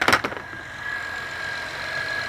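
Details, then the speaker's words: 2012 Acura TL V6 at idle with battery/charging light on: thin steady high whine from the alternator over a quiet idle; battery reads about 12 V instead of 13–14 V, confirming a failing, non-charging alternator. "I don't know if you can hear that whining or not that's the alternator making all that noise"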